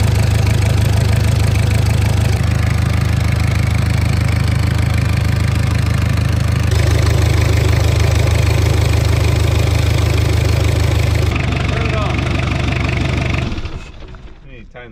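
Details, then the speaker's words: 1984 Mazda B2200, 2.2L Perkins diesel, idling to warm up after coolant top-off: steady low idle with an even, lumpy beat, then shut off; accessory belt found very slack and worn, needs replacing. "belt that belt is floppier than a ball sack when you're doing jumping jacks it's junk"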